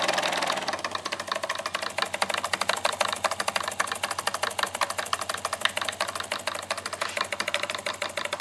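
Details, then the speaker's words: Model steam engine run on garage air compressor (set about 25 psi, partly used) instead of fire, on workbench: quick even chuffing ticks, steady rate, no hesitation or knocking; normal running. "No fire no flame no heat no electricity, just turning it off the compressor here I've got the coil going over to the compressor compressor set at about 25 psi but I'm only using a portion of"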